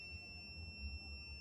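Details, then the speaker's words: Multimeter on continuity setting, probes bridged together before testing cables: one continuous high steady beep, meter and leads pass the continuity check; normal continuity beep. "Before you start the test, you have to bridge the two probes. And if you bridge the two probes, you should hear the same sound that if your cables are good, you will hear like"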